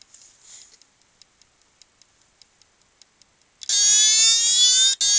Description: this is a old ibm hard disk I have makes really weird sound its a 2.5inch laptop drive 720mb lol